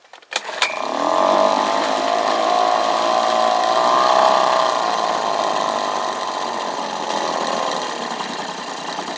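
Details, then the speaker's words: Outboard motor just after new carburetor install, fuel-air mixture not adjusted: catches quickly and settles into a steady, slightly buzzy idle with even pitch and no stumbling; running properly. "running pretty good with the new carburetor on there"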